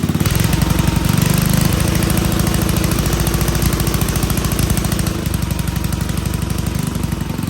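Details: Old Troy-Bilt Pony rototiller on a temporary battery, running on fresh gas: quick, steady single-cylinder putter of about four beats a second, running evenly with no misses at idle.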